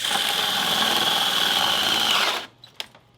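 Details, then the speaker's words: Old DeWalt hammer drill losing power and smoking: whines with rough crackly edge then cuts out; brushes found melted together, motor failing. "why was it smoking brushes are melted together huh"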